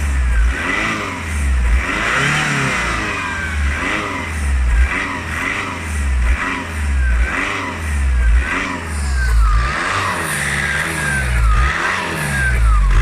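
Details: 2.0 TDI VW Passat B6 being revved repeatedly: a thin chirping squeak rises and falls with engine speed over the diesel clatter; source not pinned down.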